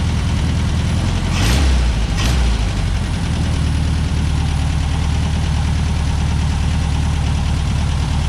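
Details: 1963 VW Beetle air-cooled flat-four with rebuilt Solex 28 PICT carb, after engine compartment degrease: steady, even low putter at idle, no misses or knocks; normal idle.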